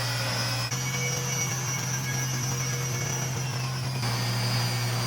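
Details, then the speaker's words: Miele W1623 Novotronic washer after carbon brush module replacement fixing F53 error: even motor hum with steady high whir, no grinding or knocking, drum turning normally, running perfectly fine. "put everything back together and then now I'm running it it's running perfectly fine"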